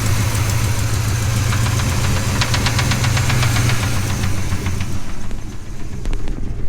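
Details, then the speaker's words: 396 cubic inch big-block, warm, timing heavily advanced, choke and vacuum pull-off removed, idle raised: rough idle with regular sharp metallic tapping over the rumble, settling after a rev; engine knock at idle, owner suspects rod knock. "And it sounds like I may have just caused a rod knock in this."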